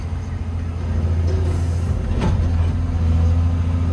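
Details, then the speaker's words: Old 140 digger diesel with about 10,000 hours after a bad-injector fix, engine loaded with the dipper arm; deep, steady drone that grows slightly under load with no knock or miss, pulling strongly, a bit of black smoke expected. "Oh hey, better than it's ever been. It's certainly not lacking in the power department."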